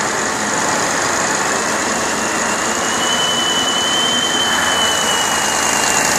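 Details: Deutz 1015 diesel after overhaul, Pucallpa, Peru: steady, even roar at constant speed with no knocks or misses; running smoothly and healthily.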